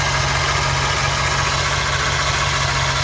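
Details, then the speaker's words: 2009 Chevy Silverado idling with a steady whine that sounded like the power steering pump, but bleeding and testing ruled the pump out. The whine comes from a worn idler pulley bearing. "and it was trying to play me for being the power steering pump but done everything to bleed it and all that and stuff and everything and I still got that wine"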